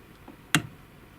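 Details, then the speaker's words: Chaika 2 sewing machine turned by hand with zigzag on: sharp clicks as the follower rod rides down the zigzag cam (copier). Play in the mechanism causes a cam follower knock. "Швейная машинка Чайка 2 столкнулся с такой проблемой. Стук на копире."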